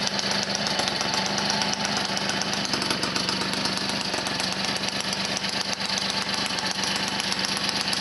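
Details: Motobécane 51 VS moped, 1978, two-stroke after a full rebuild (new rings, bearings, seals, clutch, points, condenser) following thirty years seized; crisp, fairly even popping buzz, no knocks or rattles; running healthy.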